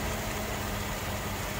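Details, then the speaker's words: Mercedes W126 C126 coupe with a misfire that usually appears once warm, after plugs, wires, cap, rotor, fuel filter and ICV hoses replaced, air cleaner off: steady, even idle with no misses heard, engine still not fully warm. "that sounds better let's let's give it a second I'll check back in and let it idle for a while so it's still nice and smooth"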